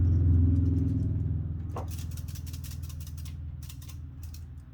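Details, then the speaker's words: Commodore 16 home computer, unit moved with keyboard connector found not fully seated: low fast buzz with scattered light ticks and rattles from loose ferrite beads on the board under the shield; harmless but noisy. "What is making that noise? Oh, it's all these ferrite beads. Some of them are loose."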